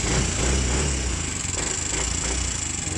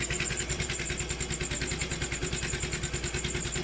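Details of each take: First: Motorcycle engine that ran dry of oil, still noisy after refilling oil: rapid light ticking about three per second over the idle, still audible with the pipe covered, owner calls it abnormal; valve train ticking from oil starvation, to be taken to shop. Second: Motorcycle engine previously run dry of oil, refilled; earlier noise now mostly gone after work, screw not yet refitted: steady idle pulsing about three times a second, smooth, no ticking or rattle; normal idle.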